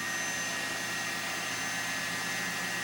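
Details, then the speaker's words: Lite-On LVW5005 DVD/CD recorder finalizing a CD-RW disc: loud steady rushing whoosh with a thin high whistle, disc wound up so fast it blows a draft out the front; it is overspinning, and the owner suspects a bad disc, a failing drive, or both. "you feel the draft coming out of the front of the machine like it's just screaming"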